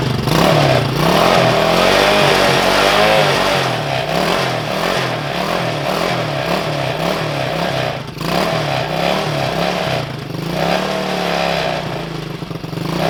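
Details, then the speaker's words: Coleman CT200U mini bike with a swapped-in 110cc ATV engine that sat a long time, with leftover oil on the piston, started from a rigged battery: it revs with an uneven, lumpy beat near three pulses a second; rough running after long storage. "So where I cranked on it yesterday testing stuff, the battery is now dead, so I'm having to rig it. I'm sure it's going to run rough for a little while. This thing is set for a long time."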